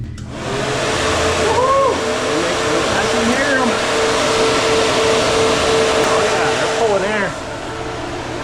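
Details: Newly installed electric fans, spliced and heat-shrunk, on the water-to-air cooler of a supercharger, run with key on: steady airy whoosh pulling air evenly, no rattle or grind; fans working normally.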